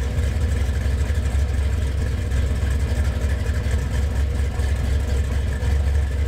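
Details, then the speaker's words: Freshly built GM Gen VI L29 454 big-block on an engine stand, carbureted with headers, ZZ502 hydraulic roller cam on 110: deep, loud loping idle with no knocks or ticks; runs nice, staying around 180 degrees. "That thing sounds good. Yeah, it runs real nice."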